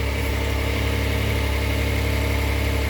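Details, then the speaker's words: After a DIY oil change with a paper oil filter on a push-button-start Hyundai: steady, even idle with a smooth low hum, no knocks, ticks or misses; no dash lights or leaks, engine healthy. "Pay attention to your gauges. Look for any lights flashing. Sounds good. Sounds great."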